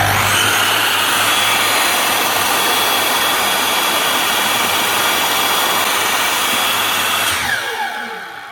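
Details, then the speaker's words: Makita LS1019 260mm miter saw after motor replacement, original brushes reused: steady, even high whine with no rattle or grinding, then a smooth spin-down; slight brush sparking from the new motor bedding in; runs healthy. "Sounds a lot better. There's a little bit of sparking coming out of it, but that's simply because it's a new motor on it."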